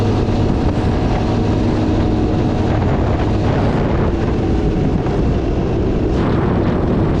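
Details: 1982 Honda ATC 200 Big Red three-wheeler, refurbished after storage, on a road test shifting up through first to fifth gear: continuous deep engine drone holding steady under load with wind rush, no knocks or stumbles; healthy running.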